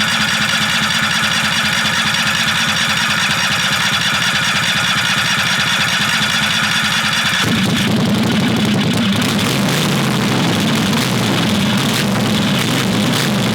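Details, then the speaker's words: Predator 670cc V-twin dragster engine with billet flywheel, billet rods, ported heads and reworked carburetor, first start: loud lumpy idle around seventy pulses a minute, ragged and unsettled; rough idle, intake vacuum leak suspected, intake only snugged. "there's a idle issue could be a vacuum leak from the intake"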